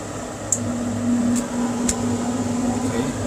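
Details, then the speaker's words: Carrier 58MCA-1551 furnace after replacing blower motor (refurbished GE 1/2HP 115V 1075RPM), blower wheel and run capacitor: smooth steady hum with faint low tone, occasional light tick, no metal scraping or rubbing; blower runs normally. "can hear it and it's glowing I don't hear any metal wow that sounds really smooth"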